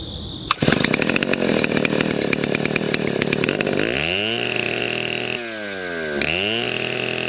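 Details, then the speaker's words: YZ6200 62cc two-stroke Chinese chainsaw, hard-nose bar, chain resharpened to 30 degrees; loud steady high-pitched scream revving cleanly to about 8,500 rpm at the high end and settling back, runs much better: normal high-rpm run. "but you can hear it run now, and it runs a whole lot better. 8,500 RPMs at the high end, and it is loud, hence the earmuffs."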